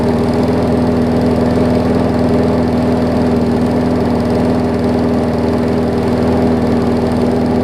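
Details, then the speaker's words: Newer Murray push mower: steady, even single-cylinder chug at a low, lazy speed with no surging; engine runs too slow after governor spring adjustment. "it's running fine it's just running slow i just need to figure out the throttle situation"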